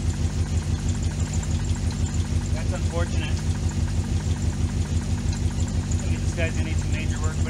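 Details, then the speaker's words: 2005 C6 Corvette LS2 V8, 108,000 hard miles, after fixing a loose rocker: steady tick keeping time with engine speed over idle rumble; noise persists, suspected bottom end unless another rocker loose, needing rebuild. "Still got the noise. probably end up checking the other side, just in case there's one more rocker loose. But aside from that, if I don't see anything, I'm going to have to say it's in the bottom"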